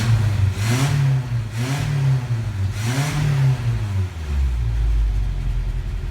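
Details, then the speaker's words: 1987 Toyota 4x4 22RE with an Engnbldr Street RV head (larger valves), first start after reassembly, header with cat: three quick throttle blips climb and drop back cleanly, then a steady idle; healthy, crisp. "The engine sounds better than the 22R in my 85. This thing sounds amazing!"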